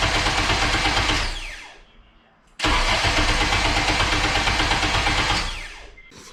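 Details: 8th gen Honda Civic Si being turbocharged, subframe reinstalled, after fixing an unexplained starter wiring issue; starter cranks in even steady pulses about three a second with two clean bursts. Normal cranking.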